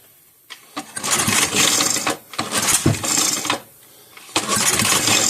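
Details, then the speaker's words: 5 hp Briggs & Stratton engine from a Bolens 5 rototiller on the bench: repeated rattly pull-starts with no catch after it kicked back; compression seems lower and a sheared flywheel key is suspected, unconfirmed; failed start after kickback. "Okay guys, well you saw it did run very briefly, but Dad thinks I may have possibly sheared a flywheel key when it kicked back when I tried to fire, so that's going to be it for tonight."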